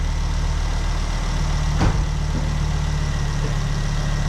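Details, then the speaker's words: Ford Focus ST barn find after its first start and misfire cleared. A steady, even low idle with one brief puff, which is the dump valve "sneeze". The engine runs sweetly and has oil pressure. "Well, it's running, and it sounds sweet enough. Yeah. And there's oil pressure."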